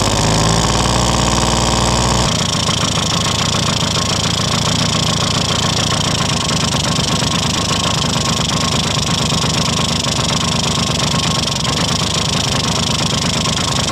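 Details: 1971 Yamaha Mini Enduro two-stroke, first start in decades after carburetor cleaning, with the oil pump being checked: after a short crank it settles into a crisp, even popping idle with no stumbling. Normal running.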